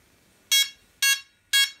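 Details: DJI Phantom 3 Professional emitting loud high-pitched beeps about twice a second, continuously, after a firmware update was interrupted; fix is formatting the micro SD card and reinstalling firmware.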